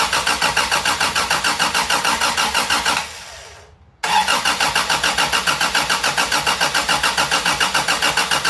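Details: 1987 Toyota Tercel 4WD after a 4A-C engine swap, first start attempt: even starter chug about 200 beats a minute, a pause, then cranking resumes without catching; starter suspected staying engaged, it later started with extra fuel.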